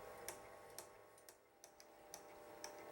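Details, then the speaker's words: Wolverine Moviemaker Pro 8mm/Super8 film scanner transferring a 1968 Blackhawk Films Super 8 silent reel; crisp, steady ticks about every half second, transport advancing film normally at about two frames per second. "it corrected itself it's ticking away just right and this is i believe two frames per second that it transfers at"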